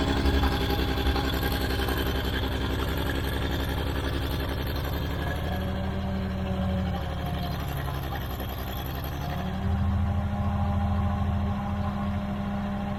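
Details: Old Caterpillar D6 dozer diesel started after fuel was found to be the problem: deep, even chug with a steady beat lifting and settling with throttle, no knocks or misses; normal running.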